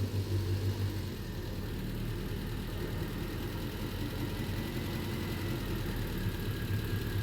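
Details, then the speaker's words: Triumph Spitfire with rebuilt engine, idling about 900 rpm as the choke comes off, run with no cooling system until steam appears: low, soft, even throb with no knocks or misses. Engine runs very well. "That's running really well. Wow. Engine sounds absolutely sweet. About 900 RPM."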